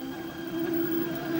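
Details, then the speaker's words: Toshiba KV-4000 V-Cord VCR playback audio: extremely slow, warped, wavering low drone; it was first suspected to be capstan speed, but the capstan servo tested fine, and the owner now suspects a weak idler belt, with the tape riding up the pinch roller and tension problems. "yeah with how extremely slow and warped the sound is that generally points to a caption speed"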